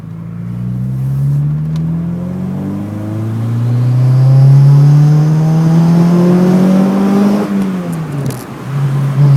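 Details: Renault Clio engine revs up and drops back, with a faint airy sucking hiss rising under acceleration; sucking noise on acceleration, cause unknown.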